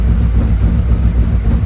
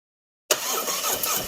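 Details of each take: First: 2017 Harley-Davidson Ultra Limited 107 V-twin with a newly installed Thundermax EFI, on its second auto-tune idle run while warming toward 180 degrees: a deep, steady, even lope with no knocks, ticks or hunting. Normal idle. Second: 2017 Harley-Davidson Ultra Limited 107 V-twin, first start after a Thundermax EFI install and fuel pump work: catches abruptly and runs with an uneven, unsettled beat while clearing air from the purged fuel line before leveling out.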